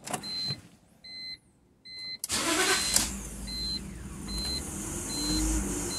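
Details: 2005 BMW E46 325Ci with code 2766/P1315 intake cam sensor signal: chimes, engine cranks and catches with a brief uneven stumble (hiccup) before settling to steady idle; cause was mechanically incorrect camshaft timing, stumble gone with cam sensor unplugged.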